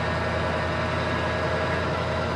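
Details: Restored carbureted 1980 Ford F350, started after three pumps of the gas: steady, even low rumble with no knocks, misses or surging, settling into a smooth, healthy idle.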